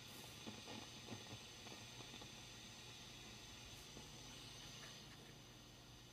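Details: Fender Deluxe Reverb reissue amplifier, volume from 2 to cranked: hiss and low hum with a few faint, irregular crackling pops, intermittent and unaffected by the volume setting.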